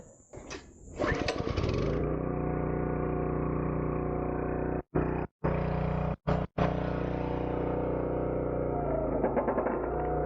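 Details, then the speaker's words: Log Dog 30-ton log splitter, small engine under load splitting large round logs and very dry ironbark: steady drone that dips and works harder through tough rounds but keeps running; it struggled a bit but didn't fail, and the cylinder stayed warm, not hot. "Those were big round logs. You could hear it struggle a bit, but it didn't fail. It did it."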